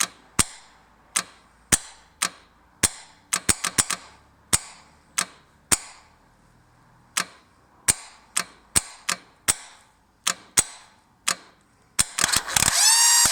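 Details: 1998 Yamaha Virago XV1100 won't start despite a good bendix, new idler gear and fully charged battery: sharp, uneven metallic starter clacks about every half second, then a brief whirring spin; the engine never catches.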